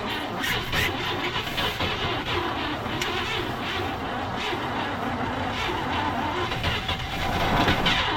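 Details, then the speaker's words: 1958 Chevrolet Bel Air off the road since 1993, after new parts gave spark, vacuum advance unhooked: steady cranking about four beats a second with ragged partial catches that never pick up; cranks, close to firing but won't start. "Oh, it wanted to so bad. It wanted to."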